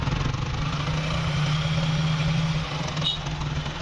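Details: RTR 4V motorcycle just after changing to Motul 7100 full synthetic oil at about 2000 km: steady low idle, even and unhurried, with no knocking or rattles; idling normally.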